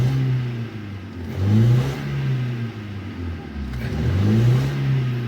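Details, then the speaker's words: Hyundai i10 petrol engine revved twice, check engine light on: it runs rough and uneven, with a scan tool showing 378 misfires; cylinder 3 was dead with water in its spark plug well, apparently from a car wash. "आप देख सकते हैं जो miss fire है लगातार बाढ़ रहा है 378 बार मिस फायर किया इसने"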